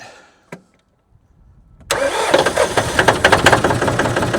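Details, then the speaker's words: John Deere 5300 tractor jump-started with a jump pack after fitting a new alternator (battery had been 11.8 V): quick crank, engine catches cleanly into steady diesel clatter; normal engine start. "There we go. We'll let that alternator work."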